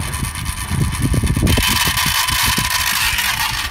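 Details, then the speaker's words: 2011 Skoda Superb 2.0 TDI diesel (engine CFFB), code P0403, EGR valve actuated by a diagnostic test at idle: irregular sharp clicks and chatter, about three a second. The EGR valve is sticking; worn actuator gears suspected. "to me it seems like all the electronics are working to me seems to be the cogs where the motor is you know to to activate the AGR valve open or closed I think the cogs probably worn out"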